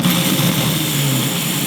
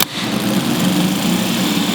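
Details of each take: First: MG starter motor powered directly, bypassing the solenoid: a smooth, steady, even whirr with no drop-outs or dragging; normal starter motor run. A commutator dead spot can still cause intermittent no-start. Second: MG starter motor bench-tested, Bendix snapping out. It cranks with a steady, labored whirr that never speeds up, spinning too slowly; the cause is not yet confirmed.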